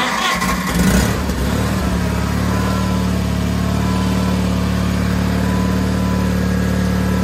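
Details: John Deere 420 garden tractor after starter motor replacement: brief cranking catches, then a steady low even drone with no skips or clatter; small engine starts and runs fine.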